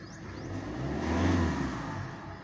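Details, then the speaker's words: 2016 Hyundai Accent CRDI diesel with check engine light, low power: revs rise briefly then sag back, flat and held down, reaching only 3,000 rpm. "wala hanggang 3,000 lang talaga boss Hindi pa nga umabot Hanggang diyan lang siya"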